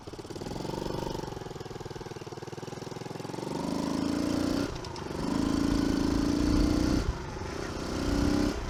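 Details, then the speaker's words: Early-2000s Kawasaki KLX110 dirt bike after kickstart/sprag clutch repair, carb cleaning and service: small single putters at a quick even beat, revs rise and fall cleanly several times without stumbling or misfire; healthy. "well guys that about does it for the old kawasaki 110 we are going to put fork seals in this but we're pretty much done with it otherwise uh we got it running we got it started"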